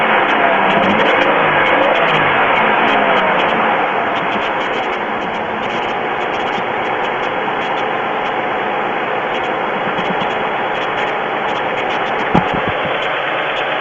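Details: GM 3.4L V6 in a Pontiac idling with a light, fairly regular tapping knock under a dense hiss; owner suspects piston slap; oil level full; noise later stops completely.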